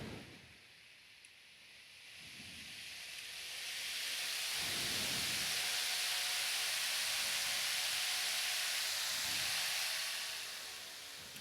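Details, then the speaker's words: Floor fan after bearing cleaning and re-oiling, rust cleanup and repainting: spins up from quiet to a strong steady rush of air, no grinding or rattle, slightly faster than before, about 104–107 W; normal spin-up. "That seemed to work at least as well. It seemed to spin up slightly faster."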